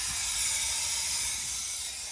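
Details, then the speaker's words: 2015 Peterbilt 579 day cab, Cummins with 2-pedal automatic, key off, DOT inspection not yet done; a steady high hiss slowly fading, an air leak that will be fixed before delivery. "I'm going to turn off the key so you can hear me a little bit better. Things like this air leak that I hear will be dealt"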